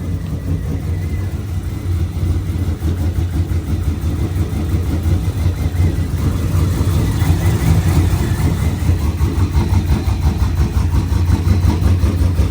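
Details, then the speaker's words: Pontiac G8 V8 on its second start after engine rebuild: deep, steady rumble holding even through gentle revs, no ticking or knocking. Exhaust was refitted but not lining up right and will be checked, with a retune planned. Runs healthy. "So I'm gonna just get the exhaust looked at. But it seemed like it runs straight."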